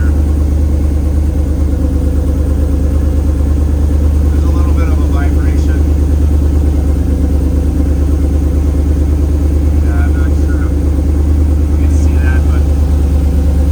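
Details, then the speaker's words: 1937 Nash coupe with a 6.0 Vortec, upgraded from 26 to 58 lb/hr injectors on a Holley Terminator X Max: a lumpy, uneven idle with the hood shaking and a strong fuel smell. One bank is misfiring because a coil pack was left unplugged. "just one side is not doing it can all these these coil packs be bad and then I looked and I realized this was not plugged"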